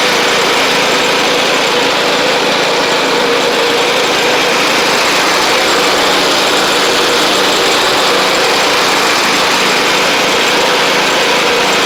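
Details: Sabre riding mower driving after new drive belt, blades, head gasket, carburetor and coil, about 32°F outside: single-cylinder engine holds a steady, even drone, no knocks, surging or belt squeal. Residual oil smoke burning off. Normal running.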